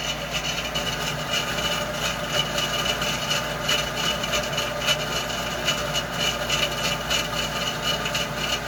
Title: Heater Issues / Loud Noises